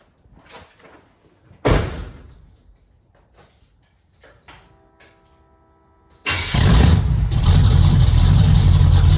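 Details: The Meano Camino V8 with new long-tube headers and Cherry Bomb Glasspacks, electric fuel pump, camera at rear: clunks, starts right up into loud, deep, even rumble; runs fine but exhaust needs more muffler.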